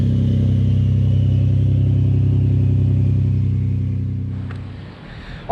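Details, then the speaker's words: Ford F-150 3.5L EcoBoost, cold start after sitting overnight, after days on full synthetic oil with Lucas heavy-duty oil stabilizer: steady, even low idle with a smooth hum and no cold-start rattle before shutdown; timing chain stretch or dry start was suspected earlier. "guys so I'm very excited to let y'all know that after multiple days of having the Lucas heavy-duty oil stabilizer as well as full synthetic oil in my f150 we have not experienced a cold start rattle noise"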